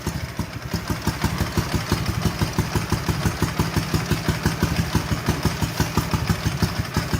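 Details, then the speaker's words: Ural twin motorcycle revived after sitting 11 years, chokes pushed in, carburetors not yet adjusted; even steady putter about three pulses a second, both cylinders firing cleanly; normal idle. "both firing we got her fixed got a mess but we got her fixed"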